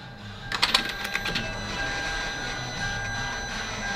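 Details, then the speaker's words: Hyundai Veloster, key on: a few light clicks then a faint steady electric hum at one pitch; fuel pump priming normally, no leak. "is it leaking no it's not you hear it right yeah i still hear it oh no that's normal oh there it goes that's normal yeah that's fine"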